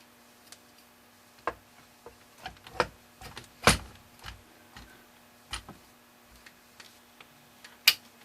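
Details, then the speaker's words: Crosley phonograph record player after drive belt repair: light clicks and sharp pops over a quiet background as the dry belt pops off and seats around the motor pulley, which is normal; the turntable should then spin. "in fact you can hear it popping off probably"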